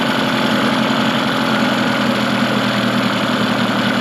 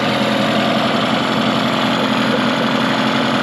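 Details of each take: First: Mercury 15 hp two-stroke outboard built from two non-running motors, good compression and spark: steady, even burble with no misses or knocks, idle a little fast, so the throttle arm idle speed on the carburetor side gets adjusted. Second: Mercury 15 hp two-stroke outboard built from two non-running motors, good compression and spark, after fuel system work: buzzes steadily at idle but a bit fast; idle speed to be turned down at the carburetor throttle arm.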